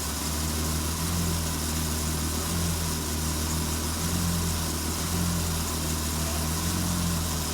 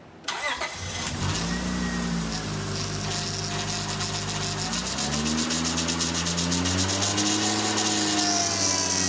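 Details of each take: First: 2002 Acura TL-S after replacing the leaking high-pressure power steering hose and bleeding: steady even idle with low hum, no power steering pump whine or fluid noise heard from inside. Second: 2002 Acura TL Type-S after replacing the leaking high-pressure power steering hose, engine held near 2,000 rpm while steering lock to lock: a wavering pump whine rises and falls as trapped air bleeds out of the fluid.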